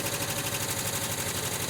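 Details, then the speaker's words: 1979 VW Westfalia, rebuilt engine with new Porsche hydraulic lifters, cold start: fast light ticking over an even idle that fades as oil flows back and fills the lifters. "it's going away the oil flows back in lifts fills up the hydraulic lifters"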